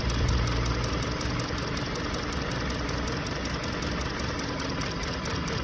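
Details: 2020 Hyundai Sonata with check engine light, steady idle rpm but engine shaking with uneven low thumping; P0302 cylinder 2 misfire traced to a fuel injector not closing, confirmed by swapping injectors so the misfire moved cylinders.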